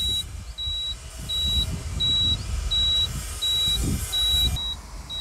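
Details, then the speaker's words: Tata Signa 3718 TK BS4 truck, Cummins ISB 5.9 diesel, high-temperature complaint; cluster temperature gauge wires joined for short-circuit test, ignition on. High, steady half-second beeps repeat regularly over engine rumble, stopping at key-off. Normal key-on warning beep. "चाबी on करने पर इसमें से beep की आवाज आ रही है।"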